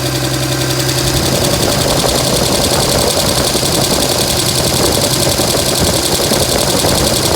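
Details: 2007 Dodge Ram 5.9 Cummins diesel clatter at idle with an uneven, stumbling exhaust beat; began a month ago, intermittent fuel rail pressure, MAP sensor and overboost codes; owner asks about excessive blow-by and exhaust sound; cause unclear.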